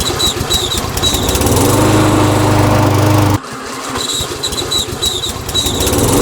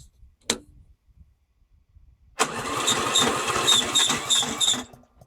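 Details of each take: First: Briggs & Stratton Yard King self-propelled mower engine, after carburetor ultrasonic cleaning and rebuild, settles into a steady even beat, dips briefly and picks straight back up to a smooth, consistent speed; running properly. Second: Briggs & Stratton Yard King mower with key start, after carburetor cleaning and rebuild and new battery wiring; short blip then about 2.5 seconds of labored cranking near three turns a second that never catches. Owner suspects the battery is done.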